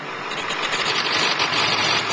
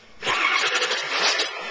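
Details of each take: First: 2001 Ford 7.3 diesel previously a no-start: steady, even diesel clatter and hiss at idle with no misses or knocks, idling normally. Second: 2001 Ford 7.3 diesel, checked for glow plug draw and injection control pressure on a scanner: brief starter cranking that never catches; cranks but won't start, owner plans a fuel pump.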